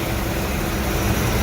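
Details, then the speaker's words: 1994 Ford E-350 after exhaust manifold reinstall with a milled face, plus new spark plugs: a steady, even idle with a smooth low rumble and no ticking or puffing at the manifold. The exhaust leak is gone and the idle is normal. "before you would heard wow sounds like it is sealed up running very smoothly too"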